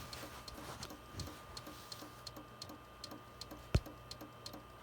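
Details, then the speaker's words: Compaq desktop PC running while wires are poked and unplugged. Faint, fairly regular ticks a few per second over a quiet hum, with one louder knock; clicking of unknown cause. "oh I didn't like that it's making big clunking noises now"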